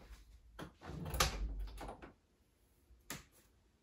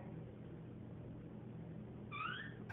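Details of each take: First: A door hinge after its bone-dry pin was rubbed with bar soap and refitted: the door swings with only soft thumps and latch clicks, and the hinge no longer squeaks at all. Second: Door swinging on a dry hinge pin: short, sliding high squeal near the end, before trying bar soap on the hinge to get rid of the squeak.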